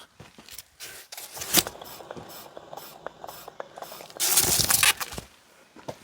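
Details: Daihatsu Charade L251, raised wheel turned by hand; rough gritty scraping in uneven bursts, worn grinding wheel bearing, found on the opposite side to the one first suspected.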